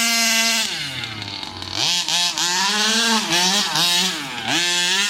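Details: New Rovan 36cc double-ring two-stroke in a King Motor Baja 5B, warm, head gasket removed: crisp howl climbing sharply through repeated full-throttle pulls and dropping cleanly off; strong power, no bogging.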